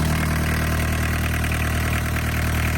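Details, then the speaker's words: Barn-find VW Caddy pickup, mechanical diesel, 154,000 miles, off the road over 20 years, after first start: steady, even low diesel clatter at idle, no misses, knocks or surges; sounds perfect, healthy. "Mechanical diesel engine. Job done. That sounds perfect, doesn't it?"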